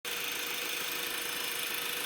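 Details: Brand-new 2012 Honda Accord LX at idle with a steady high-pitched squeak/screech at one constant pitch; dealer called it normal, but owner doesn't hear it on an identical car; source unknown.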